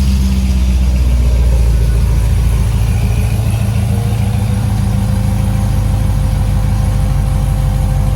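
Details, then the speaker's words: C6 Corvette V8 on new test pipes with custom extensions to factory center section, first start with fabrication oil smoking in exhaust; deep loud burble settling to steady even idle, no ticks or knocks; normal idle. "first start there's some oil in the exhaust and stuff from fabrication so we'll get a little smoke but sounds good"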